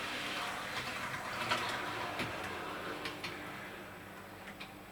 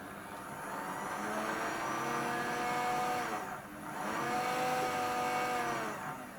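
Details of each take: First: Dapol Class 121 model locomotive after driveshaft fix for motor running without movement: quiet even motor hum with light ticking at full scale speed, easing smoothly to a stop; no noise or binding, normal running. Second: Dapol Class 121 model loco, unused for a long time: high smooth motor whine rising and falling with throttle but no movement, because the glue holding the driveshaft butterfly (to the worm drive) has come off.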